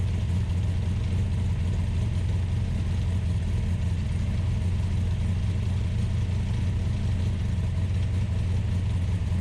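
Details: American V8 in an Ultima GTR supercar, started on a jumper pack, warming up: steady, deep, even drone held at a fast idle with no dips; idling high while coming up to temperature, gauge reading only about 60 degrees.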